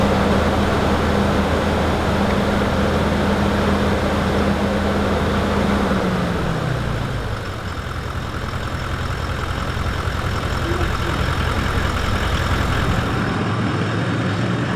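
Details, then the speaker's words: Toyota 200 Series Landcruiser diesel, first start after engine replacement with new fuel filter: catches, idle settles from a higher hum to a lower one, smooth and even with no knocks or rattles; oil pressure shows about half on the gauge. "the sound we want to hear very happy with that so I think I'll get to drive the car home this afternoon"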